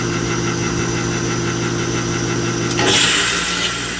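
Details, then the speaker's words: Heat pump condenser with reversing valve issue, Y jumped at the outdoor unit after finding no 24 V: steady hum then a sudden loud whoosh of gas as the reversing valve shifts cleanly; valve works. "you heard that noise it means the revers ground works now it's running in heating uh air conditioning mode"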